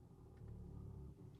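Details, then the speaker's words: 2023 Genesis GV70 with shaking and a loud bang, no stored codes: heavy low rumble while driving swells into a hard drawn-out groan, same in reverse, binding heard in the front, later found to be catastrophic front differential failure. "something is binding I'm hearing it in the front The Binding or something like that same thing in Reverse same noise and intensity"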